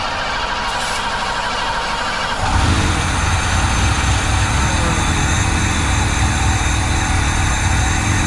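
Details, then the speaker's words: 1987 Ford van, long-parked former school van: starter solenoid jumped, flammable brake clean sprayed into intake; catches after a couple seconds of cranking and runs rough on the spray, confirming it isn't getting fuel. "running. So, the thing isn't getting fuel."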